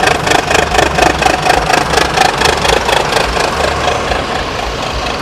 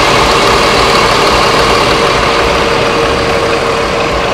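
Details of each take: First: Adhi Prima sleeper bus on the Palembang–Jakarta trip, rest stop with the engine hatch open, mic at the engine: steady diesel idle pulsing about twice a second with a slightly raspy, uneven note, attributed to the exhaust (knalpot); unusual exhaust note at idle. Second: Adhi Prima bus on the Palembang–Jakarta trip, rest stop with the engine hatch open, mic at the engine: smooth, steady diesel idle with an even beat and faint constant whine, partly masked by a nearby Sari Harum bus; healthy normal idle.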